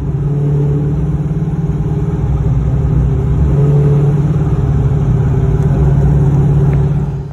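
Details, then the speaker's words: Pontiac GTO, warmed up, test-driven after a spark plug change. Under load the drone falters in uneven dips about three a second, a misfire-like stumble. Engine stumbling under acceleration, cause unknown, to be logged with HP Tuners. "so the GTO is still having issues breaking up you hear it I don't know what that is clears up every once in a while"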